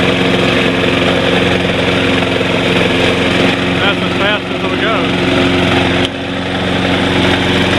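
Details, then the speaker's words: Snapper Big 6 P216012 mower: steady engine with a harsh scraping grind from the worn-out drive wheel's metal rubbing on the pulley; new rear wheels are the expected fix. "so this drive wheel is completely worn out the metal is running against the pulley here which is making that noise"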